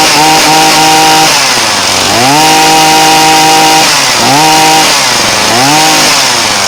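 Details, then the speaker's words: Poulan Pro 2322 hedge trimmer two-stroke with the splineless carburetor mixture screw slotted for adjustment: buzzy drone that sags and climbs as the screw is turned, speed hunting between settings. "i'm going to start up the machine and show you what difference it makes to adjust the screw now that i have a slot that i can do the adjustment with"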